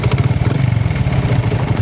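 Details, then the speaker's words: Sniper 150 motorcycle idling after the clutch damper was replaced. A fast, uneven low clatter remains in the engine, from a loose balancer gear and damper. "So dito nacheck ko kanina meron pa siyang ano sa kanyang balancer gear. So medyo maluwag yung sa gear niya at sa dumper. So ito yung ingay niya."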